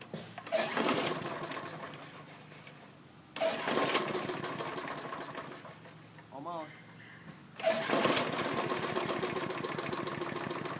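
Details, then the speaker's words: Briggs & Stratton mower engine with automatic choke, moved from an old deck: fires up with a busy, buzzy rattle over the run; owner suspects a damaged or crooked blade or deck vibration, source unconfirmed. "on running see that's what I mean by the rattling noise I don't know what that is"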